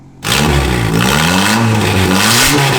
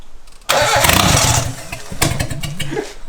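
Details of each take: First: 2002 Mitsubishi Lancer (possibly CE); engine catches and revs freely, pitch climbing and falling smoothly, strong with no knocks or rattles: healthy turbo engine. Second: 2002 Mitsubishi Lancer 4G15 turbo build: the starter churns the engine over in an even beat for a few seconds, but it never catches because the intake air was blocked.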